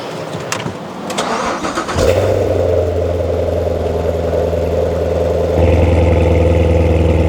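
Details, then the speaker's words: Chevrolet C7 Corvette recovered from flooding, running after repair, Z51 exhaust valves open in track mode: brief crank then deep, steady, clean V8 idle; sounds healthy. "Dude, that sounds great. I don't know if that's cuz it's got like a little bit of dirt in there or something, but it sounds great. It sounds like it's got mods."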